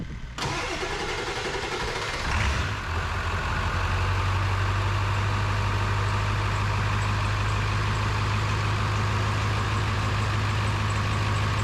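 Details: Ford 7.3 Powerstroke diesel after new KC turbo, MBRP exhaust, up pipes, Irate plenums, oil crossover kit and fuel bowl reseal: cranks, catches around two seconds and settles to steady even clatter at idle; healthy start.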